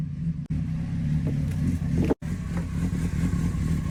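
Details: Honda CBR600RR that would not start even after a battery recharge, now repaired and running: steady, even engine note with a low throb and small rev changes, no knocks or misses; running normally.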